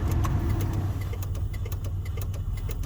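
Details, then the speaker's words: 2003 Buick Regal at idle: sharp, light clicks about three times a second from under the dashboard near the light switch. The clicking stops when the light switch is pulled fully on. "here under the dash somewhere now if i pull the lights on it stops what could that be"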